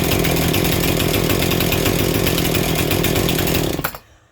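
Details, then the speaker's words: Two-stroke chainsaw started with choke on after three or four pulls, trigger untouched so fast idle stays engaged; loud, steady high-revving buzz held evenly, running cleanly on normal fast idle; owner judges it needs only cleaning and tune-up. "Choke is still on. Do not touch the trigger. Your fast idle is still engaged."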